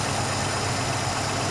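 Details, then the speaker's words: Ford Capri Mk I 3000 GT XLR 3-litre during carburettor tune-up: steady even idle with no hunting or misfire as mixture screw is unscrewed with no change in revs; mixture about right, left there. "which means that the mixture is about right. So we'll leave that there."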